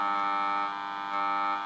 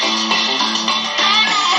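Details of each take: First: Kriesler 11-20 valve radio under repair for motorboating: steady low buzzing mains hum with fixed tones remaining with volume turned fully down, suggesting hum entering before the volume control; cause suspected, not confirmed. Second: Kriesler 11-20 valve radio after motorboating repairs, new speaker and power transformer fitted: music and guitar come through clean and full with no hum or putt-putt motorboating; playing normally.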